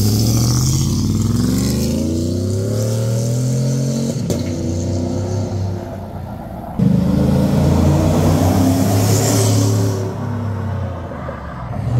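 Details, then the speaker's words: 2017 Chevy Silverado 5.3 V8 with cheap long-tube headers, after the header exhaust leaks were fixed and a small resonator added: a deep, even V8 burble rising and falling smoothly with revs, with no leak puffing or ticking. Normal exhaust note. "yeah after fixing the exhaust leaks and adding a small resonator so Tyler it doesn't get pulled over every sing day this is what it sounds like"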